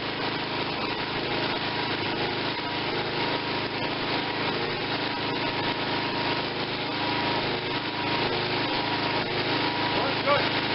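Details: Tecumseh 5.5 hp small engine with a stuck valve and no compression, running on choke: ragged and uneven with no steady beat, hunting; owner suspects it is short on fuel or compression; rough running.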